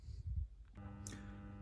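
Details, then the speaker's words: DCC Concepts Cobalt Classic Omega point motors on a model railway, three of them powered; a steady, even electrical buzz starts suddenly and holds unchanged, the motors being noisy whenever powered. "This one is they are actually quite noisy when they're powered up. That's the buzzing you can hear. That's only from 3 point motors here."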